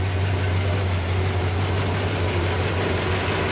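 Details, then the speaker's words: Stock small-block Chevy V8 (Vortec) with a small cam in the owner's father's Chevelle, third engine, burning off old gas: steady low rumble, even smooth beat, no knocks or ticks; fuel pressure good. Normal idle. "All right, Derek, fire it up. Hopefully no issues. Sounds good. Sounds pretty normal."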